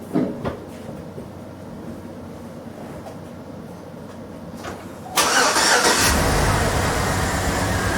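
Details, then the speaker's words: 2007 GM V8 with displacement on demand, after AFM/DOD turned off in software for a collapsed lifter misfire and tick, codes not yet cleared: cranks cleanly, smooth even idle, no lifter tick; normal idle. "So you hear it's nice and smooth."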